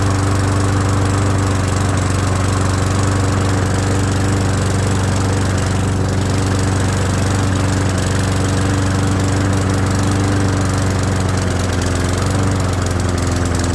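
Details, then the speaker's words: Old Murray mower that wouldn't run and made a terrible sound, restarted after carburetor flooded from being on its side; small single putters at steady slightly slow idle, no misses; idle a tiny bit low, carburetor okay. "well as you can hear the idle is just a tiny bit low uh but the carburetor seems to be running okay honestly"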